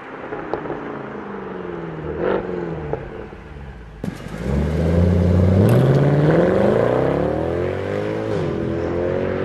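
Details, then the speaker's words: W204 C63 AMG V8 with long-tube headers, sport cats, new mid and rear silencers, recorded outside during acceleration run: booming drone under hard pull; resonating mid silencer, fixed by welded vibration damper and stock rear silencers. "they welded a vibration dampener to the mid silencer so it stopped vibrating and making noises"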